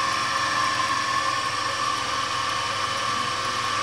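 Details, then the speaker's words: Rebuilt electric motor for a homemade drill press, just reassembled: steady hum with a thin whine near 1 kHz and rough noise; armature turns a bit tight, bearings suspected slightly overtightened by a too-thick washer. "Двигатель крутиться. Якір трохи туговато робить, бо підшипники, мабуть, слегка перетягнуті."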